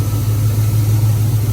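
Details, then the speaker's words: 1999 Ford F150 V8, AC on with compressor cycling: steady even low rumble at idle with no skipping or stumble; no longer missing, normal idle. "But the truck sounds good. It's not missing anymore."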